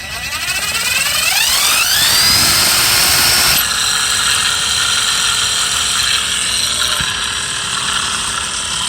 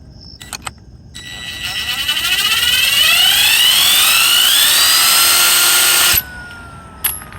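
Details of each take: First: Mercedes S600 V12 original alternator spun by hand on the bench: gritty, rattly marble-like rumble as it slows from bad bearings, unlike the silent new replacement. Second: New replacement alternator for a Mercedes S600, spun up: a smooth whir rising in pitch, then stopping cleanly with none of the gritty marbling of the original's failed bearings; the new bearings sound healthy.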